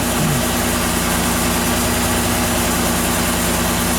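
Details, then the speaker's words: 2007 Ford Escape 3.0L V6 started after fuel filter change and priming the line by cycling the key: engine catches and settles into a steady, even hum with no misses or knocks; normal idle. "Okay, there we go. It's primed. Turned over the car. And it's running."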